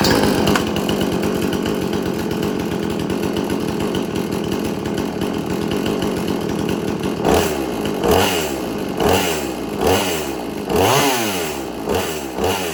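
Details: Extreme Power 82100 XP two-stroke chainsaw after minor fixes, with the chain freshly sharpened: steady idle, then several crisp revs that climb and drop back cleanly. Idles smoothly and is healthy.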